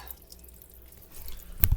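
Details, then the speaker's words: Drain pipe leaking while the washer runs; faint running-water hiss then a sharp drip splashing down in a quiet room; plumber to be called to fix the pipe. "we got a pipe leaking says what i'm going to do is i'm going to have to call my plumber and got to get that pipe fixed guys"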